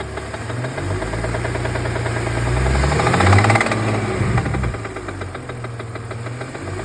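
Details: BMW E46 330 petrol six at idle: steady light tapping knock, roughly four taps a second, riding over the idle; engine knock/tap/rattle.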